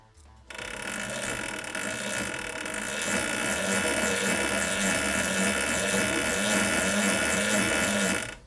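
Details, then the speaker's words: Razor E150 electric scooter, 24 V 150 W DC motor, after lithium 18650 7s3p battery upgrade, chain and bearing just oiled: light motor hum with steady chain clicking at low speed; healthy, slightly noisy until lubricated. "i'll run it up to speed a little bit noisy at the moment until the oil gets into the bearings and lubes the chain up"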